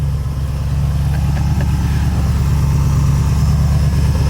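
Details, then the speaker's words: Mazda RX-7 rotary after rebuild and reinstall (previously made 990 hp on a cracked piston), first start: steady low rumble with even pulse, no ticking or clatter, good oil pressure, not steaming; normal idle. "it all sounds real good so it's got good oil pressure sounds like it's idling real nice"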